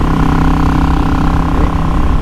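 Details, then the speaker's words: Yamaha XVS650 V-Star 650 V-twin with a 22.5 pilot, 120 main, 4th-notch needle, clipped slide spring, K&N RC-0850 filter and MGO straight pipes with single baffle: a deep, even, loping rumble under way with no misses or pops. Running cleanly. "sounds fantastic. It goes really nicely because it breathes a whole lot better because it's connected to that cool K&N RC0850 filter."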